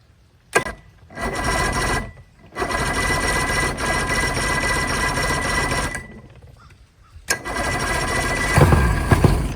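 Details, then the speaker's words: Outboard from a sunk boat, plugs back in, WD-40 put in the carbs: repeated bursts of steady cranking at about three to four turns a second that never catch. The gas tank is found to hold mostly water. "Yeah, gotta be some bad fuel for sure. Well, I think I found the culprit."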